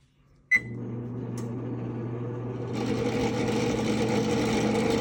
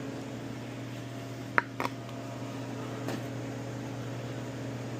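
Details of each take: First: Double oven top convection fan running after test power-up: steady low hum, then an even rough whir once the fan spins up; worn fan motor bearings, motor to be replaced. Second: Frigidaire Professional double oven top convection fan after replacing motor with rough bearings: low, steady, even hum with no rubbing or rattle, a couple of door clicks; fan now running smoothly and quietly.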